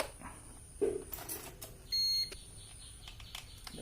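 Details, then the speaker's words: UPS battery backup for PC, just switched on with battery reconnected; all three lights incl. green lit, unit indicates battery low: single high steady electronic beep about a third of a second over a quiet room, weak battery alarm. "බැටරිය මදි නම් තමයි ශබ්ද එන්නේ."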